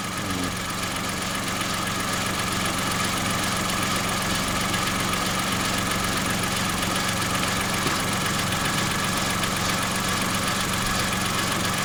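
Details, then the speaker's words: Kia engine at idle after an oil change, microphone preamp turned up: repeating tap about two or three per second over the engine hum; definite knocking persists, cause unknown. "there's the definite now now we've changed that oil it's there's a definite knocking there now"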